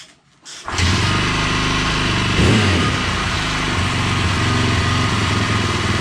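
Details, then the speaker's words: KTM 620 LC4 single-cylinder motorcycle after stator replacement: catches after a short crank, then settles to a steady, even thump with one clean throttle blip; running well. "okay so I think we got it she's a running sounds like it's running pretty good"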